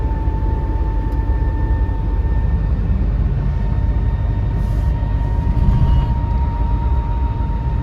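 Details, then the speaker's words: Car cruising in fifth gear under acceleration: steady mid-pitched whine over road rumble from the gearbox, only in fifth, absent in first through fourth; worn fifth gear noise. "ഇതാണ് complaint കേട്ടോ അത് top ഗിയറിൽ അതായത് fifth ഗിയറിൽ മാത്രമേ ഉള്ളൂ അതായത് first second third ഫോർത്തിലൊന്നും ആ ഒരു noise വരുന്നില്ല"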